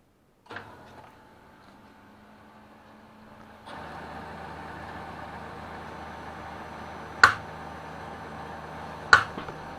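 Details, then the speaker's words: Kyocera M2040dn-type laser printer: steady whir broken by two sharp loud clicks and knocks from the fuser (FK-1150) drive gearbox, caused by stiff rotation of the fuser while the gearbox itself is fine. "стук и щелчки в районе печки.."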